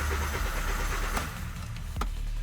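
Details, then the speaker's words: 2011 VW Jetta 2.5L that was towed in: starter cranks steadily with no catch and then cuts out, a crank no-start. Scanner shows no communication with the engine ECU or relay, and the oil lamp glows half-lit. "Стартер крутить, но вона не заводиться."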